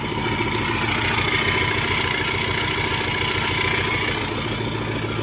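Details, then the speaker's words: Engine running with a loud rushing roar and a steady high whine on top, loudest on throttle; owner suspects an unhealthy supercharger but is unsure how it should sound; ABS and battery lights on, with a suspected bad alternator or ground. "sounds like it's a supercharger supercharger does not sound healthy at all"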